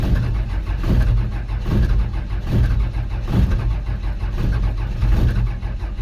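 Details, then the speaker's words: 1949 Chevy cab-over pickup with a 12-valve Cummins turbo diesel, sitting a few months in about 5 below zero under two feet of snow, with no preheater. Slow, labored cold cranking with a few weak firing puffs and lots of soot; it is not yet running. "well she's firing a little bit so there's a chance look at all that soot"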